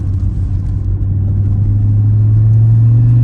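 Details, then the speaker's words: 1991 Audi 200 20V Avant turbo five-cylinder, first drive after cylinder head repair and distributor gear fix, K&N air filter fitted: smooth deep drone building under throttle, faint blow-off valve whoosh on lift; healthy acceleration. "Open it up a little bit here. You can hear the blow-off valve a little bit after we put the K&N air filter on, and I think we'll call this repair good to go."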